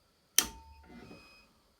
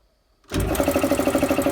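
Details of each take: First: Drill press run through an inverter on a parallel battery bank at about 14.1 V, one battery bulged: switch clack, a short beep, then the motor hum builds slowly over two seconds. The inverter overloads as the motor struggles to start. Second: Air compressor, run from an inverter on a solar parallel battery bank at about 14 V after repositioning the inverter: silence, then instant start into a fast even chug about thirteen beats a second; no hesitation, healthy start.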